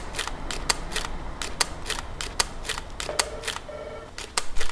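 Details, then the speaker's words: Nikon D600 DSLR shutter firing in Q (quiet) mode, camera brought closer to the microphone: soft, crisp double clicks at irregular intervals, quieter than normal continuous-high mode though not silent; normal shutter operation. "if I bring it on put it on to you quiet mode this is what it sounds like bring that closer to the microphone again"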